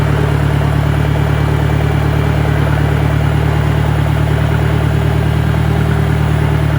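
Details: 1965 John Deere 1010 with suspect maintenance, Stanley muffler, about 1000 rpm in first gear: a steady heavy drone with loose clatter; a noisy gearbox, though the cause is uncertain.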